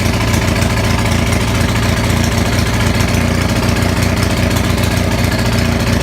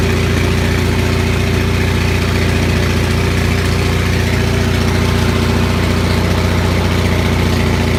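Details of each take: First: Onan 6500 (6.5 kW) gasoline commercial generator, muffler missing, running with a severe misfire: loud, ragged, uneven beats, stumbles, popping and backfiring; cause found as a severely fouled spark plug, with spark present throughout. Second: Onan 6500 (6.5 kW) gas commercial generator, missing its muffler, after its severely fouled spark plugs were cleaned: steady, even drone with a firm low thump and no obvious stumbles; running smoothly again, though voltage still jumps a bit.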